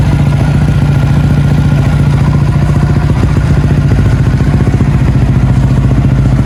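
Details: Yamaha Y16 motorcycle, cold start after sitting a long time: busy uneven light clatter, about two to three taps a second; owner suspects loose tappets needing adjustment, unconfirmed.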